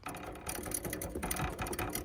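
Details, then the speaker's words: Honda H'ness CB350, due for its second service in 500 km, riding over potholes with a loose, irregular metallic rear rattle that is very bad in holes; owner suspected the number plate, shock absorber not confirmed. "लेकिन ये बज रहा है। ये खड्डे में बहुत भयंकर बज रहा है अभी तो।"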